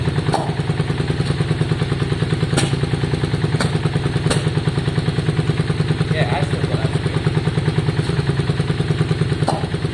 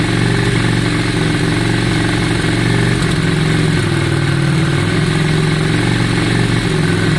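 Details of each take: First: 2002 Yamaha Virago V-twin after tank and carburettor cleaning: steady lumpy idle at about three beats a second with an occasional sharp exhaust pop; intermittent spit, owner suspects plug leads swapped altering firing order. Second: 2002 Yamaha Virago V-twin after carb cleaning and fuel tank clean, fuel primed back through: steady, even idle with deep low thump, no misses or stumbles; idle up and sounding much better, air fuel screws and balancing still to check.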